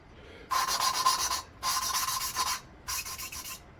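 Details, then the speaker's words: VW Beetle air-cooled cylinder head, lapping a valve into its seat with compound. Three even, smooth rasping strokes with no gritty catch. The sound change shows lapping is nearly finished. "hear the sound difference it's basically done I'm going to give it a couple more shots"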